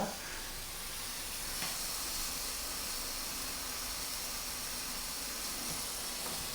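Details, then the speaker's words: Mamod SE1 static steam engine, under restoration and test-steamed on a meths burner: a steady, loud hiss of escaping steam throughout with no engine beat; some weeping coming from the cylinder. "does seem to be some weeping coming from the cylinder"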